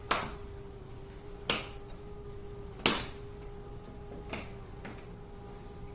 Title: petkit litter box making noise